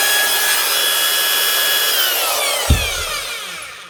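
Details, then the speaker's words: 1992 Spit 321 SDS drill, about 30 years old, after fitting a replacement Bosch lead: clean steady motor whine at constant pitch, then a smooth falling spin-down after release; fixed by the new lead alone, runs healthy. "what about a 30-year-old spit SD asro up and running again with just a new lead if that doesn't show that older machines were simply built to last I don't know what would"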